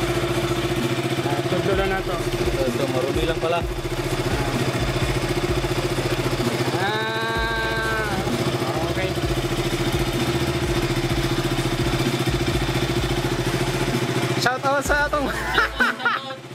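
A small single-cylinder motorcycle idles steadily with an even, low thrum and no clicking or misfires.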